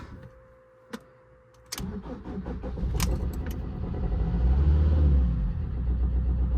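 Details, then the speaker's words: Fiat 500 Pop diesel, former non-runner with replacement engine, started after sitting a while: quiet clicks, brief crank catches straight away into even diesel clatter, no smoke plumes; normal cold start, though owner reports sluggish power when driving. "it starts sounds like a diesel uh and if you look in the bike there's no plumes of smoke or anything"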